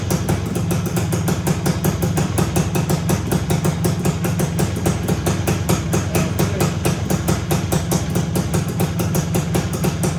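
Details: 1974 Honda MT250 two-stroke, first start after rebuild with new OEM seals, head gasket, NOS piston and rings and honed cylinder, no chain fitted: crisp fast even popping at steady speed, no knocks or flat spots; running clean and healthy.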